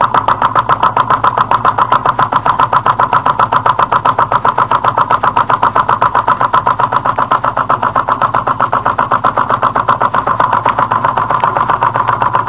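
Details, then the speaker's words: Small alcohol-fired Stirling engine with brass piston and thin brass-wire displacer rod: quick steady beat about four per second with a light scraping rub each stroke; displacer rod rubbing, owner suggests a new rod would run faster and smoother. "got a little bit of resistance on the uh displacer Rod you can hear it rubbing"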